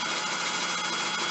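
Steady, even high whirr from the hub motor spinning the wheel, no clicks or grinding; the motor sounds healthy under throttle.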